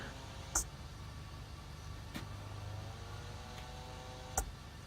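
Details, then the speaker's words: GeeekPi dual fan set for Raspberry Pi, second replacement set: steady low buzzing hum with faint whirring and stray clicks as at least one fan vibrates; fix planned by soldering the good fan from the other set in. "so this is day 7 of the dual fan swap ended up doing the new set is vibrating well at least one of them is"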